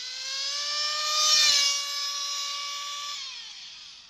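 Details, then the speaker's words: O.S. Speed B21 Adam Drake nitro engine with new J&T ceramic bearings and a 6.5 mm venturi, J21 carburettor, richened: the gargling rich note clears to a high, crisp, steady buzz at high revs, then drops away. "It's going to sound like it's gargling, and then not gargling as much, and then when it gets that nice crisp sound coming by you."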